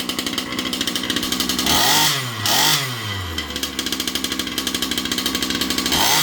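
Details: Losi 5B clone RC buggy with a Rofun 36cc 360SLT V5 two-stroke, new kill switch, pull cord and bigger tires, started on choke. Fast, crisp buzz with a couple of clean throttle blips that drop back to an even idle; running healthy.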